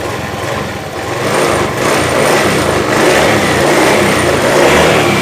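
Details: Honda Beat ESP injection scooter that had been totally dead with a silent fuel pump, fixed by repairing the black-white ignition switch wire: engine catches and climbs to a steady buzzy run with no stumbling; starts and runs normally.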